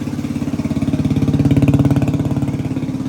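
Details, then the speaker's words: 1985 Suzuki DR250 single-cylinder revived survivor, just restarted after exhaust and intake work; steady even thump about three and a half per second, holding idle without hunting, no valve chatter or cam chain noise; normal idle. "And it's actually idling."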